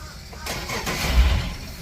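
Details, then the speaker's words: Sportsman boat, port Yamaha outboard that previously wouldn't start: a brief starter whirr, then it fires up cleanly. The starter is good; a cable problem is suspected instead. "fired right up fired up again so we don't have a bad starter on either one of these motors that's a good thing"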